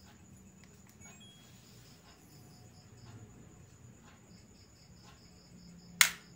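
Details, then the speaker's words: LG inverter direct-drive front-loading washing machine with error DE1 despite a replaced door lock; after repairing a burnt common track to the door-lock relay on the control module, one crisp click as the door lock engages, now working normally. "Oke, sudah normal, sudah bunyi cetek dari door locknya. Coba saya stop. Nah, seperti itu bunyinya."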